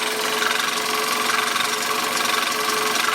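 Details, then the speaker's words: 1999 Toyota Corolla idling: harsh gritty grind with a faint steady whine over the engine. Grinding from a failing power steering pump, later replaced. "is a grinding sounds on this car. The most common problem with this is we had a busted power steering pump."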